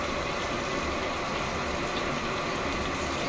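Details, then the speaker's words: Sharp ESX958 automatic washing machine after repairing E2 error by replacing the water level sensor: strong, steady rush of water filling the tub under pressure without stalling, where before the water stopped and wouldn't fall; no error, normal fill. "ये देखिए ये देखिए पानी गिर रहा है इसमें पहले पानी जो है वो रुक जाता था गिरता नहीं था पानी बिल्कुल सही आ रहा है"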